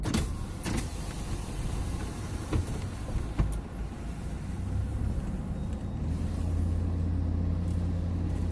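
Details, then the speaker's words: 2007-2014 GM Yukon AWD test drive at night after front differential rebuild for a bearing noise: steady road and engine rumble, no whine or howl rising with speed; noise gone, front differential normal. "I'm gonna call that a success the noise is gone everything should be golden"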